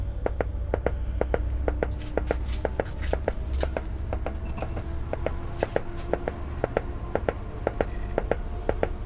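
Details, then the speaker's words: Philips-built Briton valve radio under restoration, powered on a dim bulb with anode voltage present but no reception: slow, regular putt-putt motorboating about two pulses a second, unaffected by tuning; cause unknown. "What on earth is that? It's like slow motorboating. Not affected by the tuning."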